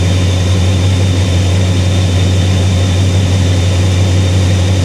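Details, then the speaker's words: 1957 Chevrolet Bel Air V8, ice-cold in a shop at about 68°F, electric choke probably still closed: deep, steady idle with even burble after one brief hesitation, no misses or knocks; runs good, normal idle. "car is ice cold it's probably about 68° in here right now she runs good she runs real good"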